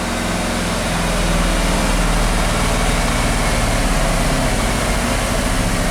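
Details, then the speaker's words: 1988 Ford F350 dump truck, 5.8 V8, stored 10+ years and running rough, check engine light on, revved under throttle: deep steady rumble without skips; seems to run on all cylinders for now. "I'm revving it up it's kind of ly it does it does seem to run in all cylinders when I floor it or you know give it some throttle"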